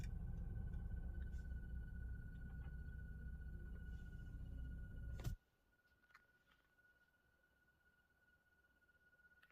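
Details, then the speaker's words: 2023 Nissan Pathfinder just after starting: thin steady high whine over engine rumble, continuing after engine noise stops, located near fuel pump area; owner attributes it to the fuel pump. "Okay, so that whining sound is coming from the fuel pump, and if you come out, you can hear it somewhere around this area."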